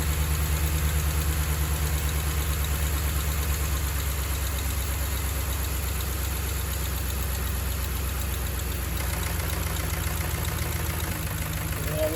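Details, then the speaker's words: Dodge Ram Hemi V8 idling with light even tick about three a second, unchanged after reconnecting a loose harness; cam and lifters to be replaced. "we still have some noise so we're gonna have to do the cam lifters i guess that sucks"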